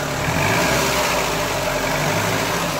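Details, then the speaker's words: 2000 Mk5 Ford Fiesta 1.3 Endura OHV engine, smoking: a loud rough idle with a loose light tapping about four per second from excessive valve clearance; the valves need adjusting. "Got a Welland smoker. You can hear it like the tapping, clashing, like something's"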